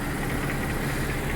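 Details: 2008 Mercedes C300 4MATIC, running after a no-crank, engine oil leaks soaking the cat: smooth, even idle with steady low hum, no knocks or misses; engine running properly.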